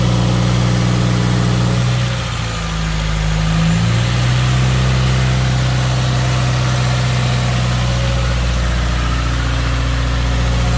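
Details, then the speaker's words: Subaru WRX 2.0 first start-up after replacing all valve shims, oil primed by cranking; steady low rumble settling into smooth idle with no valvetrain ticking or knocking; healthy normal idle. "let's go crank her up a couple times on and off and let's keep it idle for a bit"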